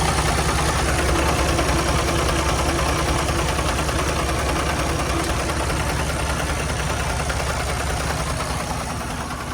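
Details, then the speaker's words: 2019 Freightliner Cascadia, Detroit DD15 diesel, cylinder head replaced two months earlier, low compression on one cylinder: at idle a coarse, uneven knock about three per second over the rumble; one cylinder not pulling, valve or piston damage suspected. "That sounds terrible. So I'm going to go ahead and turn it off just because if there's any kind of engine damage, I don't want it to kind of, fuck anything else up, to be honest with you guys."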